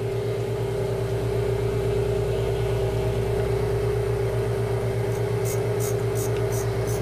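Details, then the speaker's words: Valve grinding machine: steady motor hum with a clear tone appearing as the stone, at mid travel and brought up slowly with cutting oil on the valve face, makes contact; contact point established. "you can hear and probably see that it's actually started to make contact"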